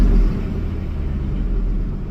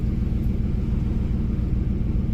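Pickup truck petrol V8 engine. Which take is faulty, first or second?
second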